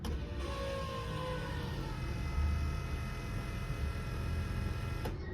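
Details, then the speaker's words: Key-on fuel pump prime on a twin-turbo LS G-body Cutlass just fitted with Bosch 210 injectors (replacing SEP 1500s). The fuel cell was refilled with 93 after the pump had sucked air when low. Now a steady hum and thin whine for about five seconds, then a clean cutoff; no air sucking, no leaks. "That sounds better. See no leaks."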